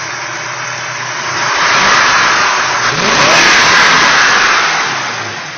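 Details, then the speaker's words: Ford 390 V8 on 10W30 break-in oil, timing 11°, Autolite 4100 carb, stock oil pump. Oil pressure 75–80 psi cold, 35–40 hot. Exhaust at rear climbs and eases with throttle, mechanical valvetrain singing, no knocks or misses: healthy. "sounds good definitely hear them mechanical M Train singing away there that's for sure"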